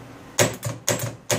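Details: Jeep XJ starter solenoid, removed and bench-tested with a jump pack after a water drive: three sharp clacks about half a second apart with no motor spin. Solenoid shot again; the motor runs when voltage is fed direct.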